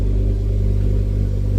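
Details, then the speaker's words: Ford Focus ST five-cylinder that had been misfiring, low on fuel: a short, smooth rev with an even, unbroken pulse and no stumbles or pops, firing cleanly. The owner suspects water in a plug had dried out and the misfire has cleared. "I think she's fixed herself. She's going to run out of fuel in a minute. But yes. Oh my god, she's fixed herself."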